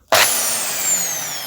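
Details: Bosch drill after cleaning, thought to have been just dirty: a short burst of steady high motor whine spinning down smoothly with no grinding or rattle; drill runs normally.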